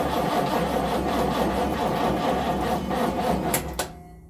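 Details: 1970 Chevrolet Nova SS first cold crank of 2023 season after sitting since October 2022, battery not charged; steady starter cranking about four turns per second with no catch or firing, then stops; cranks but no start.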